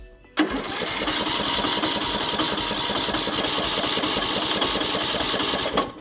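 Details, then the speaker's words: Craftsman LT3000 riding mower, Briggs & Stratton single: fast even starter chatter with high whirr, no firing; ran briefly on carb cleaner, owner suspects a stuck carburetor float with no fuel getting through. "I'm gonna hazard a guess that our float is stuck. There really should be fuel spilling out of here when I take this off."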